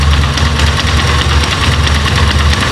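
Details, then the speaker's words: Italika Z-200 single-cylinder at idle, microphone close to the right side: heavy, uneven rattle that cracks as the throttle is released; worn clutch basket, part already diagnosed and replacement arrived. "Como pueden escuchar, pues tiene un ruido fuerte, el cual nosotros ya le habíamos indicado al dueño de que pues estaba mal esa pieza."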